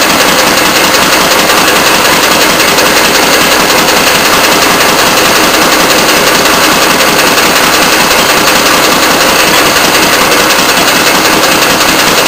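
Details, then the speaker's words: Antique Fairbanks Morse throttle-governed hit-and-miss engine, measured at 450 rpm before loading, on a Prony brake dynamometer while load is added: fast, steady, evenly spaced sharp exhaust cracks with no misses or knocks; healthy under load. "okay the engine's running I'm not sure if you can hear me but I'll take the uh measurement first of the RPM it's running at 450 RPM now we're ready to add the weight and impose the load"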